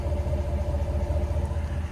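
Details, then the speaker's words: Ram 1500 after resolving multiple warning lights (engine, ABS, parking brake, traction control, four-wheel drive) and a dead fuel gauge: low, even rumble with steady regular pulse, no ticks or misses; smooth, healthy idle. "as you can see everything's working no lights absolutely overjoyed and as you can probably hear we are running super smooth pouring like a pussycat"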